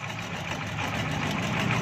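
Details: Honda CB125 idling steadily with a rough, clattery top-end chatter over the exhaust beat, noisier than it should be; cause unclear.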